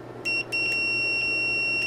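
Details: Hioki DT4252 multimeter during transient testing, continuity test after surge tests: clean high-pitched beep turning on and off with each probe contact, steady tone, no crackle; continuity beeper working normally.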